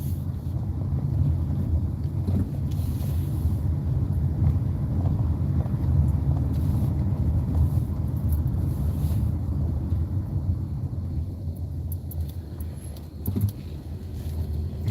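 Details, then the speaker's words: Car idling after parts replacement with battery terminals connected: steady low idle rumble, cooling fan spinning but no longer roaring as it did before; normal idle with quiet radiator fan. "See, I don't hear I don't hear that. When my car is idle, you would hear the fan spinning like crazy. The fan is spinning, but you don't hear it like"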